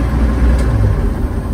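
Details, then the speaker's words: 1946 Chevy pickup with mechanical fuel pump, after replacing the soft fuel line between pump and carburetor with a hard line; restarts readily. Steady, even low rumble with no misses or knocks; normal idle. "Let's see if I can stop and start again. She's firing up nicely now."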